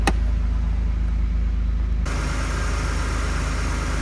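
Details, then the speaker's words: 2001 Toyota Supra RZ factory twin turbo, automatic-to-manual swap, street-legal muffler: deep, even, low idle burble with steady rhythm, no belt squeal, tick or knock; normal idle, sounds like new. "all right engine running sounds like brand new nothing out of the ordinary no no belts or squealing the previous customer took really good care of this car"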